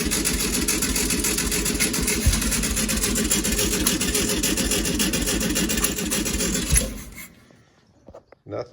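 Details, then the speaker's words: 1965 VW Beetle, long-stored garage find, first start attempt; runs roughly at fast idle then dies after about seven seconds once carb fuel runs out, nothing pulled into the fuel filter despite much cranking; fuel pump failure. "we've we've cranked it over quite a bit and ran it for a bit off of gas in the carb and it's still not pulling anything into the filter"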